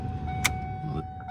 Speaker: blower motor works good.